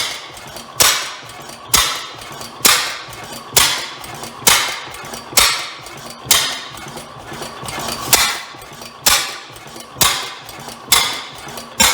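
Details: Rare old Bovard & Company engine restarting, believed two engines combined into one: sharp single bangs about once a second, fairly even, harsh exhaust crack; owner suspects an exhaust issue or backfire, possibly hard to adjust, cause unclear.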